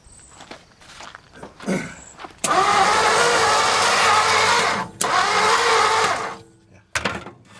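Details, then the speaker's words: 1955 Ford F250 with weak spark: starter whirs in two bursts but the engine never catches; no spark, owner suspects a bad connection, plug wires or coil. "Might need a little bit of gas. Probably blew it right out the tailpipe. Well, now it has no spark. I think it might have just been my connection."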